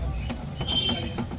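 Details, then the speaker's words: BMW GT, raised front wheel rocked by hand: sharp clunks about three times a second, also knocking over potholes; worn steering rack. "Tyre हिलाएँ और tyre हिलाने के बाद भी यहाँ से आवाज आने लगती है।"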